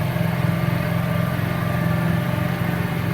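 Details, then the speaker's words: Kazuma Meerkat Chinese quad, small single-cylinder with Japanese carburetor, warming up before idle screw and air mixture adjustment: steady even putter, no misses or surging; runs smooth, normal idle. "you want to wait like it's a little bit warm you know before you start messing with your carburetor and it runs smooth"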